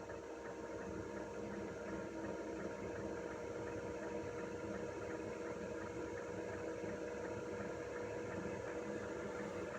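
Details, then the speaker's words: Diesel heater turned up to maximum power, about four feet away by the speaker's feet in a small space: steady, soft fan roar with a faint even hum, no rattles or surges; normal full-output operation. "right it's just coming up to maximum now right that's as noisy as it's going to be"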